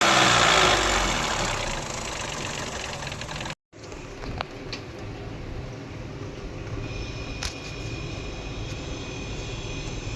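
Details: Tata Tagore petrol engine idling with a light, fairly regular tapping about three times a second; something is knocking, source not yet clear.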